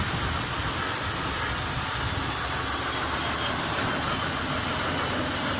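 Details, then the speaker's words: Auction vehicle with almost 400,000 miles, idling and lightly revved: a steady, even engine hum with no knocking, missing or skipping. Normal, healthy idle. "No knocking, no skipping. Purring like a kitten. Purring like it's supposed to."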